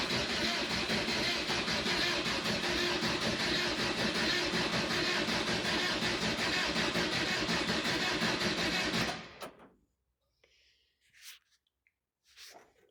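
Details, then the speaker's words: 1986 VW T25 Transporter, 1.6 JX diesel, stored since 2017: steady fast starter churning at about 160 rpm for nine seconds with no catch, then silence. Air in the diesel lines; the owner is also unsure whether the glow plugs work. "Thinking about it, I don't know if the glow plugs are working. I ain't got a dash to find out."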